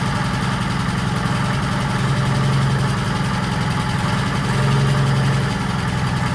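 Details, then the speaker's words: 1940s Allis Chalmers D5/HD5 crawler, two-stroke Detroit 271 diesel after sitting, normal idle: steady low even chuff about 220 a minute, no knocks; motor sounds good but smokes, owner suspects troublesome injector. "right, that thing is a smoker. Motor sounds good. I think that injector that we had problems with is probably causing the smoke."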